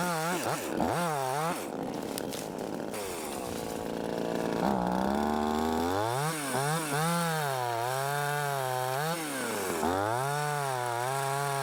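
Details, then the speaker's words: Cheap Amazon top-handle chainsaw, new and not yet broken in, on 40:1 two-stroke mix, cutting branches with a loose chain: revs rise and sag unevenly, pitch wavering under load; bogging, sluggish, probably needs more tuning. "Well, that seems to help. This thing was being real doggish. It's probably going to need to be tuned on a little more."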